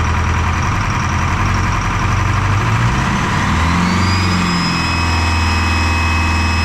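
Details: Detroit 4-53T diesel with 9G90 injectors, run from a 5-gallon tank bypassing the solenoid and tank: rough uneven beat stumbling as revs climb and settle, rising whistle. Fuel starvation (filter half full, loose suction clamp); injector two dead, no fuel.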